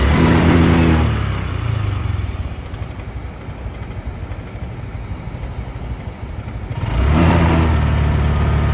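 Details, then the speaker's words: Honda Click125 scooter with severe "hagok": engine revs hard, then sags into an uneven, labouring beat before picking up again, checked via trouble codes. "hagok malala ganyan ang nangyari sa motor ni boss"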